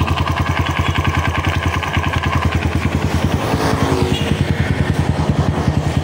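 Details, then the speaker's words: Honda CRF150 after oil-starvation top-end rebuild, idling after TPS reset; steady single-cylinder thump with slightly uneven, snoring beat, running somewhat rough; header exhaust leak from missing gasket also present. "medyo akok siya. Medyo hagok siya."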